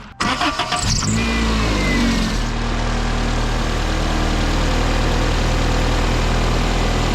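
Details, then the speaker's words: 1995 Toyota Corolla 1.8L after replacing the worn, noisy A/C tensioner pulley and setting belt tension: cranks, catches and settles into a smooth, even idle with no squeal, chirp or wobble; fixed. "all right so the tensioner pulley is replaced no more noise no more wobbliness everything works fine"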